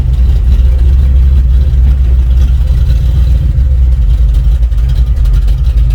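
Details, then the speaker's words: Chevy C20 with built 408 small block: loud roar held high with no rev drop on first-to-second shift, engine free-revs; transmission slipping, believed broken, supposedly built trans doubted. "I think trans is broke when you hammer it and you try to go one two three you go from first to second and it free revs so definitely broke"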